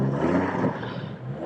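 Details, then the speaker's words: Trailblazer after a brake fix for frozen caliper bracket pins and a new clutch fan, tachometer not working: a short, even throttle blip with smooth rise and fall and no knocking. The engine revs normally and is much quieter. "you can hear it there so there you go I'm really surprised how good it sounds now"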